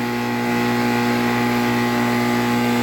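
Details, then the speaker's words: 2008 NuTone dual-zone central air conditioner condenser at startup and running: loud, steady droning hum with strong buzzing undertone; excessive vibration shaking the ground. "there we go it's unbelievably loud that unit is unbelievably loud Wow"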